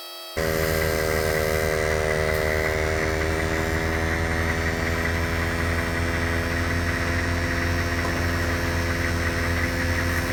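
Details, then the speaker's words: 150 PSI Pittsburgh (Harbor Freight) air compressor wired to battery, inflating a food truck's big tire with the engine idling underneath; steady constant-pitch buzzing drone, compressor working normally under load. "Alright, I think that thing's on there. The compressor sounds like it's under load, so it's getting in there."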